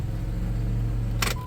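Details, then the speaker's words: 1994 Chrysler Town & Country AWD, started after a long crank (owner suspects it loses fuel pressure), then run in gear: steady deep hum, no knocks, thumps or vibration; runs smoothly. "Feels good, put it in gear. Oh, it feels good. No weird vibrations or anything. I think we're good."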